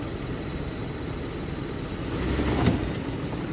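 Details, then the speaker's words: 2009 Nissan Pathfinder at a police auction, started with a jump: steady low idle, even beat, no knocks, ticks or misses; started right up and sounds good. "Started it up with the jump. I don't know if you heard it start uh earlier, but it started right up."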